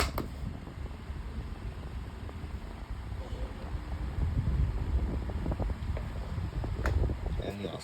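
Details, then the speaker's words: 12-inch Climate Keeper oscillating table fan, test run after cleaning: steady low whooshing hum with faint light clicks as the head swings; very quiet, clean and even, nothing rubbing. "Yeah, it's very quiet as you can hear. This is a nice fan for the collection. Very quiet as you can tell."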